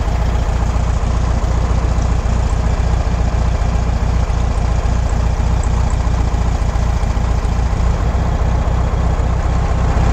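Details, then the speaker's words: Air-cooled VW Beetle with Solex 30/31 PICT carburettor, idle after adjusting volume control screw during tune-up: steady, even low putter, smoother, no misses or stumbles. "There we go, you can hear the idle coming up. Sounds a lot smoother. Yeah, that sounds better."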